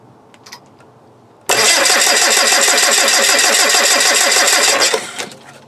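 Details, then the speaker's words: VW TDI diesel cold crank at about -4°C, clamp meter reading 447 A peak cranking current: brisk, even cranking at about three compressions per second for three and a half seconds; normal cold cranking. "Right, 447 cranking amps."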